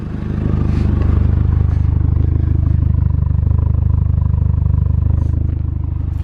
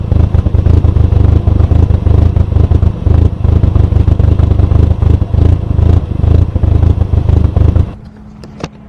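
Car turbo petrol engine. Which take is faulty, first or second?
second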